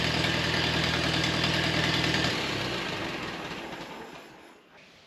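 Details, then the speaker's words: 1953 Ferguson TO20 antique tractor, warm after being driven out, idling on a rebuilt Marvel Schebler carburetor fed from an auxiliary test tank: steady, even low putter that fades away, no misses or knocks; oil pressure about 10–12 psi. "it's running really good really nice and smooth"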